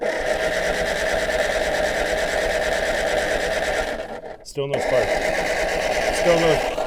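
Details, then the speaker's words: MG TD that sat in a backyard: starter spins the engine at a steady even churn but it never fires; still no spark, so the coil or distributor is suspected; crank no start. "Still no spark."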